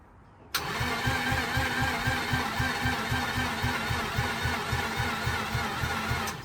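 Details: Mazda RX-8 rotary, compression-tested, cranked after earlier missing plugs were refitted: steady rhythmic starter chugging of about three to four beats a second for six seconds, never fires. Battery seemed weak ('no juice'); cause unconfirmed, spark check next.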